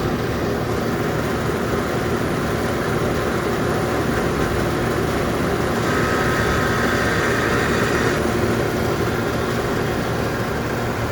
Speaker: The air conditioner did turn on. However, you can hear it makes a grinding noise.